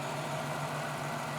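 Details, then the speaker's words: 1991 Chevy Lumina Euro 3.1 V6 at idle: even, steady hum with no skips, running and sounding good; small leak present, owner suspects a bad transmission mount. "Got a full gauge cluster. AC and heat controls are there. Runs good. Sounds good too."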